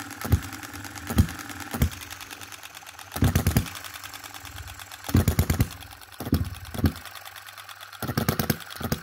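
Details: 2022 Enjomor Chinese hit-and-miss engine after valve timing correction (exhaust opening just before, closing just after exhaust stroke), extra governor weight lead and a small adjustable spring for quicker latching. Isolated firing bursts every second or two with coasting silence; normal, even slow hit-and-miss running.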